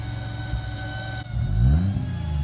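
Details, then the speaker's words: 1JZ-swapped Mazda FC RX-7 drift car, fully warm, with newly fabricated, home-welded full exhaust hanging about 3 inches off the ground; even deep idle then a clean throttle blip rising and falling smoothly, healthy exhaust note without rattles. "Oh, I think that sounds awesome. I love it."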